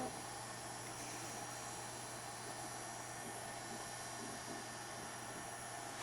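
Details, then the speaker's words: HP Pavilion Slimline s3600t (Core 2 Quad Q9300, 9800GT) with Sparkle SPI270LE 270 W replacement PSU, cold start: soft steady whoosh, faint low hum, no rattle or whine; quiet normal PSU fan, which speeds up once warm under its temperature controller. "you can see that it's kind of quiet when it first starts up not bothersome at all but after a while running it gets pretty warm and then the fan temperature controller starts speeding up the fan"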